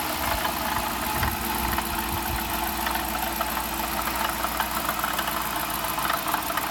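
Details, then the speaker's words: 2015 Dodge Durango RT idling: a busy, uneven metallic rattle over a steady hum, loudest up top, which got much louder the day before; a rattle under the hood of unknown cause. "I'm having this rattling weird noise under my hood and yesterday it got very loud so if anybody can help that will be great"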